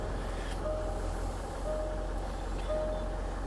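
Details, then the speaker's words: Range Rover TDV8 diesel just after an oil and filter change, started up: smooth steady low thrum, no knocks or roughness; normal idle, sounds exactly as a TDV8 should. "right okay so we're going to start it up now sounds lovely and smooth as always"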